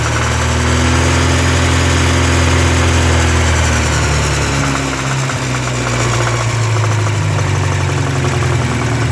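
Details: 1984 Porsche 944 2.5L SOHC inline-four, supposedly recently rebuilt: dull regular knock low in the engine, absent when cold, loudest 2000-3000 rpm, stops with #3 plug wire off; no piston play, plugs gapped, 110 octane; lifter versus rod knock suspected.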